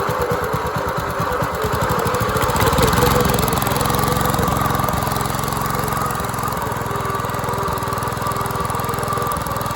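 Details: Dumpster-found go-kart engine, missing valve-cover parts, running unloaded: ragged, uneven single-cylinder beat with irregular thumps, no steady idle; owner suspects timing and probably valve lash.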